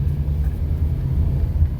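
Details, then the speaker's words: 2003 Honda Element after replacing the stolen catalytic converter with a new O2 sensor, gaskets and cat shields: steady, deep, even rumble with no puffing, ticking or rasp. Normal exhaust note. "Oh, it just sounds so much better."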